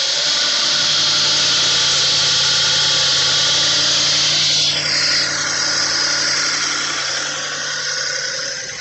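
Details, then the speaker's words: Audi B8 S5, first start after carbon cleaning: a rough, stumbling V8 catch with an uneven, hissy beat, misfiring until the empty fuel rails fill, then the misfires clear. "Got a lot of misfires. That's normal. The fuel rails are empty."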